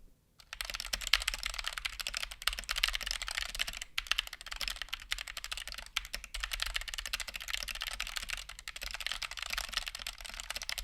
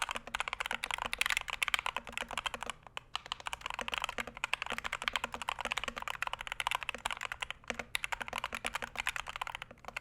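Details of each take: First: Stock, unmodified Punkston TH61 keyboard with optical switches, fast typing test: sharp, slightly rattly almost-clicky keystrokes; attributed to significant switch wobble in the plate, whether switch or plate fault unknown. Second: Punkston TH61 keyboard (steel plate, stiff typing) typed on: fast, even, crisp clacks, slightly hollow and plasticky, no rattle; switches and stabilizers sound healthy.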